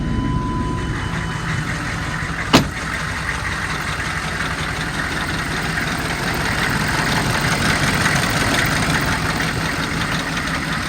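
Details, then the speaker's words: 2002 Chevy 3500 utility truck, 6.5 L diesel, automatic, 110,468 original miles, warm after running 45 minutes without overheating: steady even diesel clatter at idle, revs up nicely and settles smoothly, no misses or knocks: normal idle. "running for about 45 minutes has not overheated the engine sounds good"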